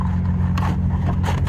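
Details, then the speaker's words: Stealth idling after a -12° cold start, with the throttle-body coolant lines disconnected: a steady, even low idle with a smooth unbroken rumble and no knocks or misses. Purring; runs healthy. "Stealth is just running like, purring like a kitten there. Jeez, can't believe it."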